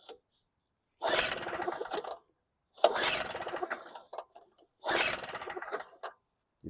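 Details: WildFire WF1200 2-cycle generator (model 8WLDS.0645WM, 50:1 mix) after an aftermarket petcock replacement, carburetor cleaning pending: three separate one-second rasping recoil pulls, never firing between pulls. Cranks, no start.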